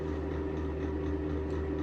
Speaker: that sounds pretty bad right there it's not a good spin down you can tell the bearings are dry you just haven't started screwing yet because you can tell it's struggling to spin